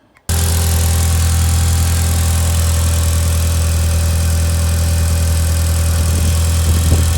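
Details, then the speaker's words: Ford Escort Van with a 1.8T 20v engine, started on a freezing day after fitting new injector cups and refitting the throttle body and inlet: it catches straight away and settles to a steady, even idle with no misfire, hiss or ticking. Idle is normal. "But yeah, all back in there, and just start it up, make sure it all runs"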